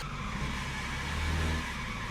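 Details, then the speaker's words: 1977 BMW 320i (E21), old car at idle right after starting: steady idle with a thin, continuous squeal over the engine note; slipping alternator belt. "there we go yeah it's got a bit of an alternator squeak that's for"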